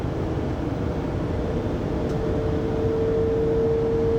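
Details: 2020 Pleasure Way Plateau FL (2019 Sprinter 3500XD) recorded by phone at 80-90 km/h: steady mid-pitched whine over road rumble, still present after drive shaft and differential replacement; origin unknown.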